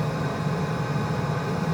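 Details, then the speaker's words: Country Smokers pellet grill after a grease fire damaged the temp probe and caused runaway pellet feeding, now with the probe replaced and set to 325. Steady, even blower and auger hum as pellets feed; it levels near 200–230 without running away. "sounds like it's putting in more pellets all right let's see what the top says 90 to doesn't sound like it's really going it's not like acting like it's keeping and going and going and running itself away which is nice"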